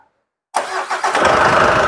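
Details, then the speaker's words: Mitsubishi Pajero Sport 4D56U common-rail diesel after overhaul, with an original EGR fitted: the engine cranks, catches promptly and settles into a smooth, even, quiet idle with no knocks, near showroom-new. "Enjin dia seperti inilah. Bukan juga macam buka plastik, tapi insyaallah dekat-dekat buka plastik kok. Bunyi dia senyap."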